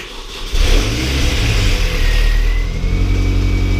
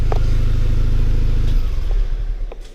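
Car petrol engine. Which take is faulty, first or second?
first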